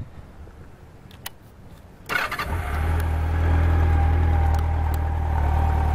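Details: 1991 Honda CB750 Nighthawk, barely broken in, hydraulic self-adjusting valves, new chain and sprockets: a couple of clicks, short crank, then catches and settles into steady, even four-cylinder idle; starts and runs normally.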